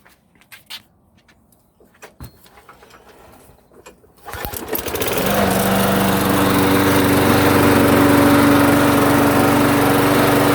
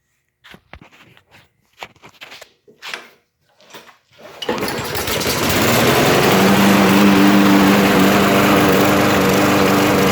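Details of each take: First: Lawn mower that surged at idle, after swapping incorrect carburetor bowl nut for the proper part: engine fires up and settles into an even, steady beat with no hunting or surging; running normally. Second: Auto-choke lawn mower pull-started, then runs fast and slightly unsteadily, surging instead of holding a steady idle even after carb cleanings and swap; cause was a wrong carburetor bowl nut for the model.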